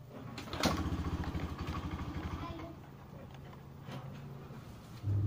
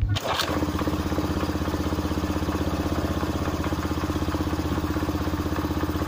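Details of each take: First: Honda Beat FI scooter kick-started after its electric starter gave out. Engine catches and runs unevenly, stumbles when throttle is opened, then dies. A weak fuel pump is suspected; fuel, compression and ignition are still to be checked. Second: Honda Beat FI that would start then die and not accept throttle, running on an IV-tube gravity fuel feed in place of the fuel pump after plug cleaning: steady even idle, briefly dipping then recovering; runs cleanly.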